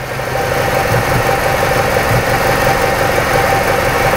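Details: 2006 Ford Escape 2.3 four-cylinder, misfire after visits to several shops: uneven, lumpy idle with a loping beat about three a second; in-cylinder pressure waveforms show the exhaust camshaft out of time, causing the misfire.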